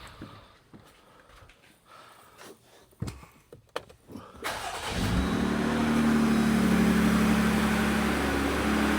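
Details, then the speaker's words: 2020 Jeep Gladiator Mojave 3.6 with Edelbrock E-Force supercharger, first start of the day after replacing serpentine belt, hydraulic tensioner and idler pulleys: cranks, catches quickly, smooth even cold idle, no knocks or squeals; running fine. "you can see, she starts. She seems to be running fine. Still sounds pretty good."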